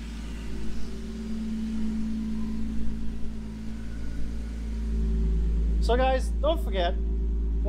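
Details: Engine with a 3-inch intake after fitting an EPS PCV delete kit: steady, even low idle with no stumble or hunting and only a quiet background hiss; no crankcase vacuum, sounds healthy and settled.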